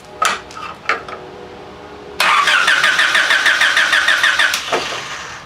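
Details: Honda with no spark, coil being tested: starter cranks steadily about three turns a second for two seconds with no firing; crank no start, cause suspected, not confirmed.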